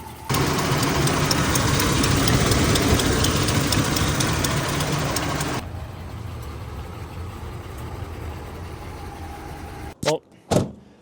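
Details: Land Cruiser engine at idle after the owner's repair attempt on a ticking valve train, only slightly quieter than before: steady light ticking, about two per second, over a smooth idle that then drops away; tick persists, lifters suspected.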